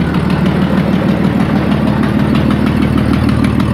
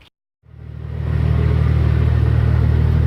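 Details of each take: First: Ford ED Falcon turbo build before the new manifold/dump pipe: sharp fast ticking at about three a second over a rough idle, from a bad exhaust manifold leak at cylinder 6; it gets a bit quieter when warm. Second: Ford ED Falcon turbo after fitting the new manifold and heat-wrapped up/dump pipe that cured the cylinder 6 exhaust leak: a steady, deep, even exhaust drone with no ticking or puffing, sounding sealed and healthy.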